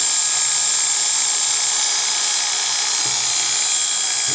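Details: Oster Golden A5 hair clipper after teardown, cleaning, oiling and greasing: a high, steady buzzing whir with an even pitch and no rattle or grinding. Normal running.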